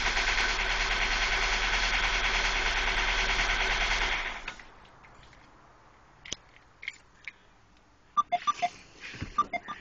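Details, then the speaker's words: Ford Focus that had its timing belt and water pump replaced, later a lean code and a used MAF fitted, stalls at lights and now shudders on starting; a heavy, fast rattling clatter from the engine area for about four seconds, then it shuts off. Serious knock, cause unconfirmed. "I never sounded this loud before so uh hopefully somebody can hear uh it sounds like it's coming directly from the um engine area somewhere that direction"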